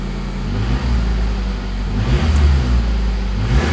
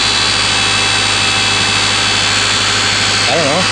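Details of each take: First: Honda CRX after alternator replacement with a rebuilt unit: idles and revs smoothly with a clean, even note and no belt squeal or chirp; charging at 14 volts, no battery light; earlier noise possibly just belt tension. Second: Honda CRX just after alternator replacement, battery light now off: a steady, piercing high-pitched whine over the running engine that doesn't change pitch, seeming to come from the new alternator; extra belt tension didn't help, cause suspected, not confirmed.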